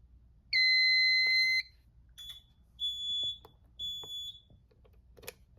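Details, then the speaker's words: Notifier NFS-320C fire alarm panel reset after an agent release demo: one long high beep then three shorter beeps about a second apart; initialization trouble while devices restart after reset. "Wait for that to initialize, then the system will be back to normal."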